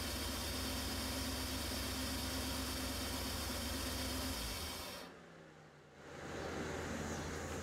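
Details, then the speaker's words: Engine idling lumpy and uneven, about 214 pulses a minute, then dying; dead cylinder, injector clicking on stethoscope but possibly clogged, owner thinks not mechanical, compression/leak-down test pending. "maybe it's it's just it's got a clog in it not putting enough fuel in there but it's definitely a dead cylinder I don't think it's mechanical"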